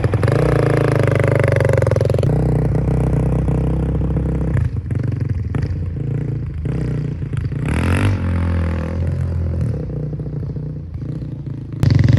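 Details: 2005 Honda CRF450X, sat 10 years, after hot start blocked off and jets upped (main 190, pilot 45), being ridden: single pulls cleanly as throttle opens and closes, no bog or stumble; runs great, normal running.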